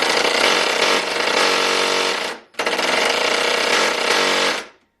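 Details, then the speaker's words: Ryobi impact driver, a few years of hard use, reassembled after a teardown that showed almost no wear, normal versus high speed: two bursts of fast, even hammering rattle, the second slightly quicker; speed not very linear; no grinding; healthy. "not exactly the most linear speed and it almost seems like it's got more torque before it kicks over to that high speed they're just kind of rattles"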